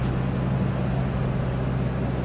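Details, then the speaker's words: Cummins diesel pickup, former farm truck, on a test drive: deep, steady low drone with an even note and no knocks or rattles; diesel running normally, responsive, shifts cleanly at low rpm. "listen to that listen to that cumings purr we'll hear it better when we get on regular Road"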